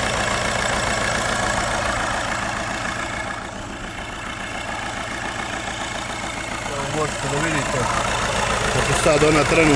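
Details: Škoda Superb running on 3 cylinders with unstable operation; idle lopes unevenly, stumbling three or four times a second and shaking, as if one cylinder isn't firing; serious fault suspected, compression being measured; misfire, rough idle.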